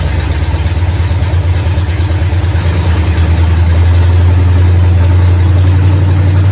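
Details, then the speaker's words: 1969 Pontiac GTO barn find, first run after sitting 17 years; engine from a 69 Pontiac Grand Prix, TH400, Quick Fuel 750cfm carb. Deep, even V8 idle with no misses or knocks; alternator charging 14 volts, valve-cover blow-by, fluid burning off headers. Runs pretty good. "it's definitely got some blow-by out of that valve cover over there this one's got a breather but that don't mean it ain't doing the same thing but this whole bugger runs pretty good"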